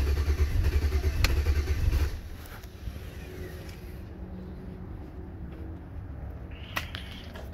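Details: 2007 Chevy Avalanche 5.3L after ECM replacement, codes P0123, P0223, P0315, P0633, U0214: starter churns evenly at about 3.5 beats a second for two seconds, never catches; cranks, won't start. Owner suspects bad anti-theft module or cheap key.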